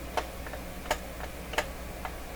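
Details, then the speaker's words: Jammed BSR UA14 record changer from a Marconi 466A console, before restoration: sharp irregular clicks roughly every two-thirds of a second over faint hum; changer mechanism catching or slipping. "some weird stuff going on under there off power off that's enough of that clearly we're not gonna get anywhere with this record player doing that"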